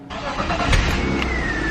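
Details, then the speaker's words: BMW E36 328i after stock exhaust installed, first start before bolting up: catches instantly and settles into a smooth, even idle with a soft, subdued exhaust note; very quiet, though an annoying whine from the engine bay noticed on revs. "oh oh my god it's so quiet it is so quiet you literally can't even hear that this thing is on"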